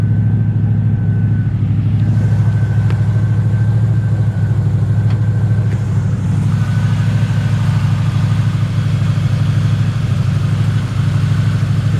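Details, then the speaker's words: 1968 Chevrolet Camaro, carburetted, glasspack mufflers: deep, smooth, aggressive exhaust burble idling a bit high; owner suspects carburetor needs tuning, slight dieseling noted at shutdown; high idle. "nice aggressive exhaust. Idle set a little bit high right now. Like I said, the carburetor probably could stand to be tuned in or dialed in or adjusted."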